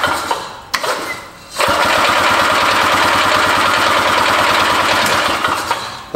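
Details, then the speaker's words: Barn-find Harley Davidson golf cart engine, cranked via jumper across starter solenoid after being flooded the night before: starter spins it steadily, about four strokes a second, but never catches; no fuel left in it. "fact that it's actually spinning over it's a lot better than it was and now there's no more fuel in it"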